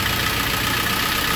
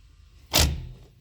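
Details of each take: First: K24-swapped Honda CRX after a throttle body fix for a sticking throttle plate, with the idle screw adjusted: steady, even idle around 800 rpm with a smooth hum and no hunting, stumbling or misses. Normal idle. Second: K24-swapped Honda CRX throttle body being lapped with valve lapping compound, engine off. One short soft clunk as the throttle cable pulls the butterfly open: the plate sticks at rough contact spots top right and lower left before breaking free.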